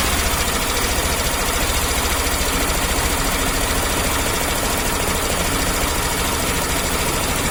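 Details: Suzuki Access BS6 scooter engine settles into a steady idle with an even low beat and no loud cam-chain rattle. Sounds normal.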